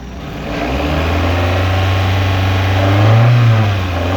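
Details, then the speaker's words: 1996 Toyota Caldina ST195, 3S-GE engine, A540H-09V automatic, 4WD, tested in Japan before dismantling: steady even idle rising smoothly to mid revs, holding without hunting or knocks; healthy. "Так, запускаем двигатель. Обороты держит."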